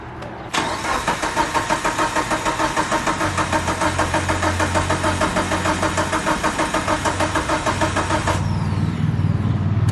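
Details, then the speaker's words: Mitsubishi Evo 8 first start attempt after 8 years, fuel pump primed: starter cranks steadily about three beats a second for eight seconds, no catch; fuel rail dry, 255 in-tank pump dead, no fuel delivery. "so i took out the allen screw out from the fuel rail and it's so dry i don't know what's going on"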